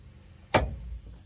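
A single sharp metallic clunk as the wheel is turned by hand: a worn drive shaft U-joint.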